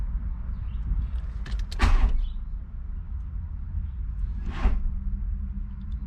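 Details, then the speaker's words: VW MK2 Golf, hot engine with fan on at quarter gauge, hot-start fault: two short clunks a few seconds apart then nothing, no cranking, as if the battery were dead; worn starter, fixed by fitting a MK4 starter. "it's like the battery is completely dead"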